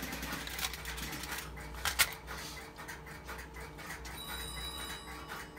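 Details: Automatic Electric (GTE) 120B Touch Call coin payphone on a ground start line: short bursts of crisp mechanical clicks over faint line hiss as a number is dialed after coin deposit gives dial tone; normal dialing.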